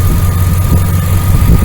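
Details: 1999 Dodge Ram 1500, 5.9L V8 gas, idling after a new starter, belt tensioner and idler pulley: smooth, deep idle with a faint steady accessory-belt whir and no ticks or chirps. Motor sounds good; normal idle.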